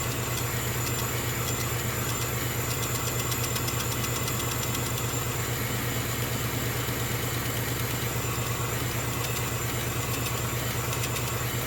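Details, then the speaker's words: Small air compressor for a laser engraver, cycling on during engraving: steady even motor drone with a fine rapid pulse, no knocks or squeals; normal compressor running. "a wonderful little air compressor will keep kicking in that their first drop thankfully is not as noisy as average 50 meter air compressor can tend to come from a dental surgery"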